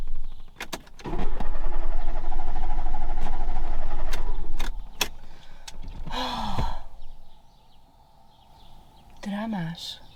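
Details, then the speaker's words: 1991 Fiat Panda 4x4 on a road trip from Portugal: engine catches, runs unevenly a few seconds, then sags and dies; no choke, no throttle response, owner suspects lean carburettor mixture after adjustment. "I wanted to drive away but the car died and now he's not starting anymore"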